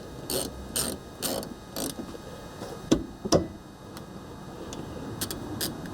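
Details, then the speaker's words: Honda Stepwgn with a 2.0 VTEC engine, rear hub turned by hand after new brake pads were fitted: soft swish about twice a second as the pads touch the disc. Normal light pad contact. "so that's the obviously you can hear the pads touching the disc that's all ready to go"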